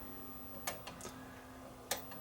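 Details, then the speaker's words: Toshiba small CRT TV, totally dead: crisp clicks over a faint hum when the power button is pressed, showing the standby power supply works and energizes the relay, so the fault lies beyond the standby supply. "that's telling me that the standby power supply is working and it's energizing the relay so i have to look beyond the standby power supply"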